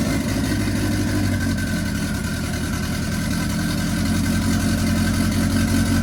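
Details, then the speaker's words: Mk1 Ford Fiesta with a turbo Zetec, now running on all cylinders after some fuel was removed. Steady, throbbing, lumpy idle with big exhaust flames; it's running extremely rich, with one gauge reading around 10 while another gauge shows lean. "They were some big flames. Some very, very big flames. It's unbelievably rich."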